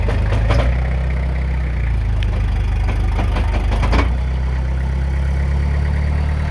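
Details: Toyota Hilux LN107 diesel with new extended half shafts, 4WD engaged at full steering lock: scattered sharp knocks and clunks from the front driveline, suspected CV joints.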